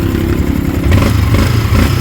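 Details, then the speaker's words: Sniper 155 at 19,866 km, after the cam chain tensioner is fitted and adjusted, revving cleanly with a steady low drone and no chain rattle; quiet again, with the 12mm lock nut to be tightened. "Okay, tahimik na naman siya mga boss. So ganun lang magkabit ng tensioner."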